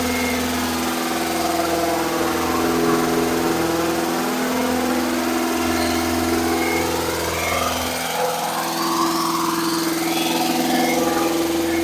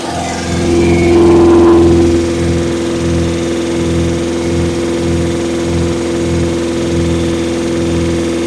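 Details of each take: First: Engine at raised speed for cam break-in, third start-up attempt, cranked via screwdriver at starter: smooth even drone, no knocking or misses; battery about 18 V; oil leak at switch; running normally. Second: Engine during cam break-in, after finding oil leak at switch, about to check timing: brief rev then fast steady even idle, no misses; owner thinks idle a little high, no tachometer; lifters sound loud with chrome rally pushrods, to recheck.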